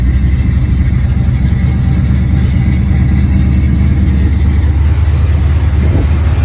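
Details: 1986 Chevrolet C10 V8, first cold start after about four months sitting, cranked easily: low, steady rumble with even beat, no knocks or misses; idles smoothly and healthy.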